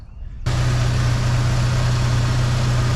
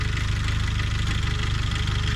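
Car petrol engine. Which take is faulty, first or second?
second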